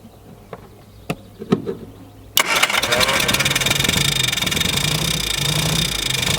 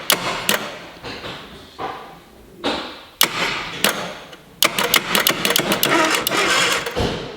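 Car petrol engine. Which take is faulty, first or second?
second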